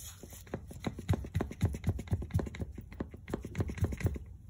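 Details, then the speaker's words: 2011 Buick LaCrosse CXL, driver-side CV axle, wheel off: sharp dry clicks about four a second as the axle is rocked horizontally by hand; owner concludes worn axle causing significant vibration, control arm bushings and new tie rod ruled out, axle replaced. "i think it it actually is the axle because when i move it this way horizontally you'll hear a click click noise"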